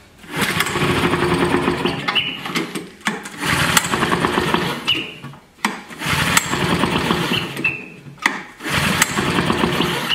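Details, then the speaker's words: Vintage Flymo hover mower, two-stroke, fresh two-cycle mix, choke was sticking, diaphragms suspected hard. Repeated pull-cord bursts spin it over but it never catches. Gas leaks out, suggesting a sticking needle and seat; the carburetor will be rebuilt with a new diaphragm. "all right that ain't gonna start let's pull the carburetor apart"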